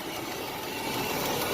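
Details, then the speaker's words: 1987 Nissan Pathfinder VG30i after a Weber carburetor conversion, idling with the AC switched on and the compressor clutch engaged: steady, even hum with a faint hiss, no knocks or misses. The idle dropped slightly with AC; normal idle. "we're gonna turn this on AC off first she's still idling it dropped it down a little bit"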